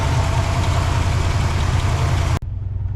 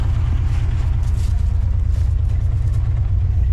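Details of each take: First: 1964 Oldsmobile 98 V8 revived after sitting for years, running on its own at high idle: deep steady rumble with a mild uneven lope about three pulses a second, running relatively smooth overall. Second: 1964 Oldsmobile 98, revived after years sitting, first idle: deep, loud, blatty unmuffled rumble; owner suspects blown-out mufflers, unconfirmed.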